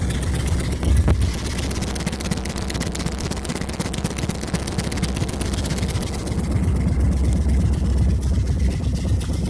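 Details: Rusty 1976 Ford F100 at idle: deep idle note with a rapid, raspy puffing tick riding on the exhaust, from an exhaust leak.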